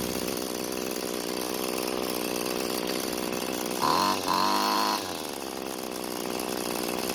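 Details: Curbside free two-stroke string trimmer after reconnecting its disconnected throttle cable: high, buzzy drone holding steady, picking up sharply on throttle and dropping back cleanly; runs normally.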